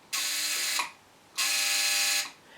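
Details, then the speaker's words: Mesa Boogie Triple Rectifier amp, channel 3 with FX on, holding the switch down: two bursts of sharp, high, fast buzzing under a second each; relay chatter. "it's like there's a really fast flicking z like this"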